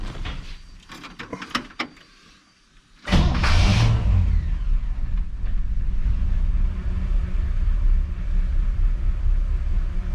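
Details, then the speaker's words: 1959 Chevy 348 V8, about 203,935 miles, started after oil change without throttle until oil light went out: quiet clicks, then fires and holds a deep even idle, no knocking once oil pressure comes up; normal start. "There we go. We got oil pressure now."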